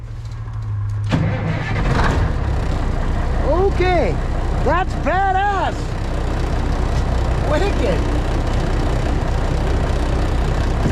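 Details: Diesel White Freightliner COE heavy wrecker in freezing weather after sitting outside, plugged in overnight and given one spray of ether. Brief cranking, then it catches and settles into a rough, low rumbling idle. A successful cold start.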